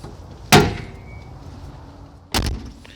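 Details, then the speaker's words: 1994 Chevrolet C1500 (GMT400) door: two heavy slams with a faint brief squeak; the door squeaks, sags and must be slammed to latch, from worn hinge pin bushings and roller pin, before replacement. "the squeaky noise and it's not closing properly you have to slam it to get it to close properly"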